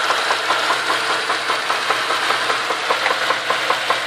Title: vz Commodore knocking sound